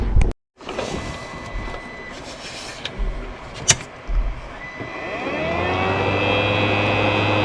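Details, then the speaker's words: Creality CR10 V3 3D printer control box with three stock fans, before Noctua fan swap: handling clicks then steady hum with thin high whine; noisy control-box cooling fans. "all right you guys hear that noise this is your before sound pretty wicked huh"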